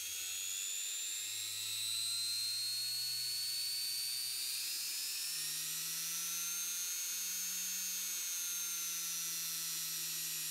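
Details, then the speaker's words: Beko WM5100W washing machine brushed motor after its commutator was skimmed on a lathe, run with no load on a variac: a smooth high whine rising in pitch as voltage increases, clean with no scraping and only tiny arcing; a healthy motor. "so when i brought the voltage right up there under no load we're getting a tiny bit of arcing but compared to some motors i've seen almost nothing"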